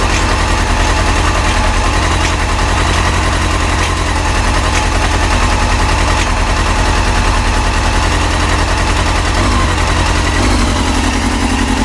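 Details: Yamaha YZF-R6 after new ignition coils, warming up at idle, partially choked: loud rapid lumpy idle whose speed wanders and shifts near the end; random idle speed jumps, cause unclear.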